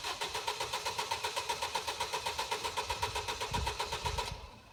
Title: It's weekend: And the car won't start